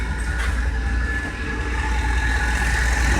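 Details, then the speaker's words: Ford engine at idle: steady whirring whine over idle rumble, sounds like a power steering pump but unchanged when the steering wheel is turned; worn tensioner pulley bearing, idler pulleys also to be checked. "hear that 90% of the time you want to check your tensioner pulley and your idler pulleys"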